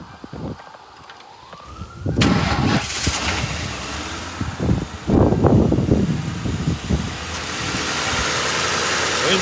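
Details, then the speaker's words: 2005 Ford Crown Victoria Police Interceptor V8, sat over a year with suspected bad fuel pump, run on fuel poured into the intake: short crank then steady even running, no knocks; AC compressor and automatic transmission engage; sounds good. "sounds good. AC compressor engaged. Automatic transmission engages."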